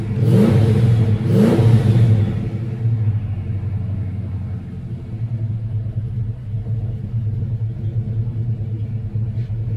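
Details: 1988 Fox-body Mustang revived with a new fuel system, after first start: two quick throttle blips, then a deep, even idle that settles and holds steady; normal running.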